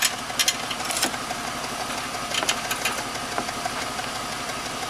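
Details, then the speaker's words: 2004 BMW X5 3.0-litre petrol, idling with a constant misfire since the day before and losing power: rough, uneven idle with irregular stumbles and sharp pops, shaking so much the gas analyzer probe slips from the tailpipe. "Let's start the car again. This vibrates too much because of the misfire."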